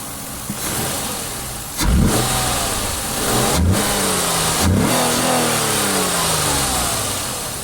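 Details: Ford Cougar V6 restarted after an unexpected stall, catching and getting three quick throttle blips that rise and fall unevenly; owner suspects an air intake leak, unconfirmed, and the exhaust note is almost silent.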